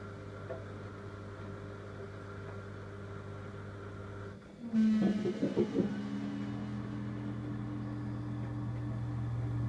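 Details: Siemens iQ300 WD14H320 washer-dryer, 2.5 years old, at the start of a gentle dry: a low hum, then a brief rough buzz. This comes from a warped dryer fan, probably caused by fluff build-up; the fan failed about a year later.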